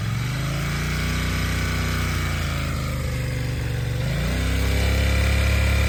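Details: Yamaha TDM 900 twin at idle: steady mechanical clatter over the exhaust beat, rising slightly with revs; owner unsure whether normal or cam chain rattle.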